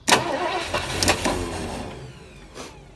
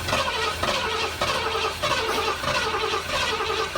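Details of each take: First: 1973 Ford Econoline with 302 V8, C4, parked 7+ years, started via jumper to solenoid with fuel line disconnected: uneven churn cranking a couple of seconds, never fires; no fuel coming out of fuel line. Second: 1973 Ford Econoline 302 V8, parked 7+ years, cranking to get oil up to everything: even steady churn with no knocks, grinding or catching; healthy cranking.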